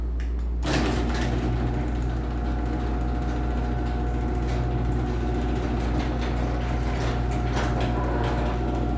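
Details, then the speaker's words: LiftMaster garage door opener running a small door during a loudness comparison between the 84505R and a 3265: constant low motor drone with light clatter as the door travels; the door is loud, the openers are close, and the 3265 is maybe slightly quieter; normal operation. "door is pretty loud on this one but the the two openers are pretty close but if anything I think the 3265 might be ever so slightly quieter"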